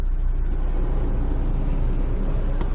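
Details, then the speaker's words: 2003 Honda S2000 AP1 after fitting OEM catalytic converter and new fuel injectors; goes right to a smooth, even idle with a slight dip, no misfire, running healthy. "oh my god went right to idle no misfire dipped a little bit there"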